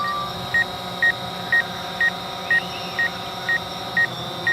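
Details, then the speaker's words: DJI Phantom 4 Pro in flight returning home at 81% battery: sharp high beeps about twice a second over the steady drone hum as the obstacle sensors detect the operator nearby and warn to stop. "there's that beep again cuz it's uh it sees me to stop the"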